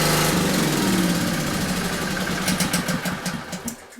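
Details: Generator brought in as a non-runner, started with choke and fuel on, then choke taken off: catches and settles into a steady, fairly even beat of about three to four firings a second; running normally. It had been flooded from repeated pulling.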